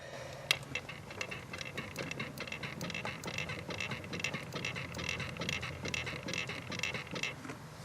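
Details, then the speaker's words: 2012 Subaru Forester rear passenger wheel bearing, loose for about 4 years, mic on the rotor while the wheel is rocked by hand: light uneven clicks and knocks from the bearing play. "I've actually taken my microphone and I stuck it right there on top of the rotor so hopefully you can hear the noise from the little bit of play that there is in this rear rear wheel"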